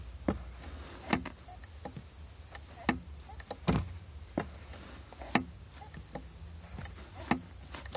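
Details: Clutch pedal clicking about once a second with each stroke, traced to the clutch master cylinder; owner reports finding the fix.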